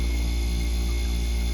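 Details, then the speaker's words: Ice-O-Matic ice machine after replacing a faulty fan cycle switch, condenser fan kicking in at 250 psi head pressure: steady low hum with even air rush, no rattles or scraping. Normal condenser fan running. "and fan is spinning can't really see it but it is definitely spinning so that is a successful change out"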